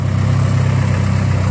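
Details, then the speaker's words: Car started after antifreeze change and tightening the squeaky alternator belt, idling to refill coolant: steady, deep, even idle hum with no chirp or squeal; belt quiet now, normal idle. "so let me start this [ __ ] up you can also hear no more squeaky Bell"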